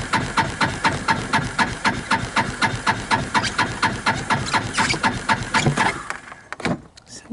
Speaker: well I can start it in gear so we'll start it in low so it appears as if I lost Spark